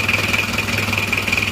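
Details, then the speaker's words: Isuzu Panther Miyabi diesel after engine rebuild, glow plugs not working so it was hard to start: even clatter at a steady idle with no stumbles; still smoking while cold, normal cold idle. "nah ini kondisinya seperti ini masih ngasap karena masih dingin"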